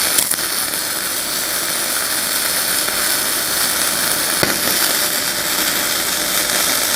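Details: Ramco 120 A MIG welder, flux-core without CO2, at 70–80 amps: steady even crackling hiss without popping or sputtering; stable arc laying smooth bead.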